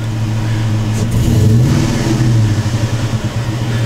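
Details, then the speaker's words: 2002 Chevy Avalanche with an aftermarket intake, revved with the mass airflow sensor disconnected and no change. Revs rise and fall with an uneven, lumpy pulse and it stays rough; a disconnected sensor underneath was later suspected. "But it's a little rough, like it fights it going up. So let's see what happens when we disconnect the mass airflow sensor."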